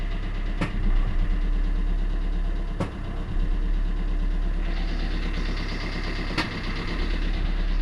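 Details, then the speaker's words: 2012 Fiat Doblo van, 135,000 miles, engine running while pulling away: sharp single clunks from underneath on acceleration/deceleration and gear changes as a worn lower gearbox mount lets the engine rock. "clunking noise from underneath every time you accelerate or de-accelerate and what that is it's the lower gearbox mounting allowing the engine to swivel backwards and forwards when you're um accelerating these and changing gear"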